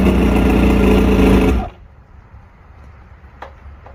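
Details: Two-stroke outboard after a 3-week rough idle, surge and misfire diagnosis, with all new electronics and everything rebuilt: crisp, even beat for about 1.5 seconds before shutting off, no stumbling or surging; running right.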